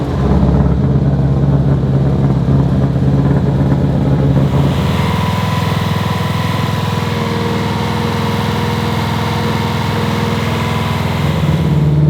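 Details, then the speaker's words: Subaru Impreza 2.5 RS, freshly rebuilt engine idling after running to bleed air from the system, not yet tuned: steady, even idle burble with regular low beat and no knocks or taps; normal idle. "Sounds good. Once it's actually like tuned, the sound will change a little bit with ignition timing and everything else like that, but not bad."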